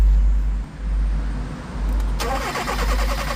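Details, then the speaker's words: 2020 Hyundai Tucson 1.6 T-GDI, about 100k km, misfire and low power complaint: steady even starter cranking with no engine catching, even rhythm, compression appears even on scope capture; normal cranking. "Right, so let me ask my boy if he could help me crank over a few seconds while setting up this."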